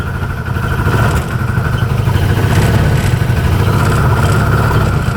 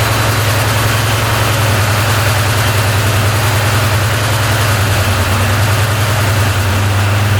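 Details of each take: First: 2013 Arctic Cat Wildcat 1000 UTV, dealership reported no power, bogging, stalling at idle: idles fine but breaks up badly with a little throttle, stumbling irregular firing, then shuts off. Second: 2013 Arctic Cat Wildcat 1000cc UTV after valve covers reinstalled and timing corrected: strong, even low thump at fast idle, now running on both cylinders with no stumble; previously ran on one cylinder, wouldn't idle, bogged.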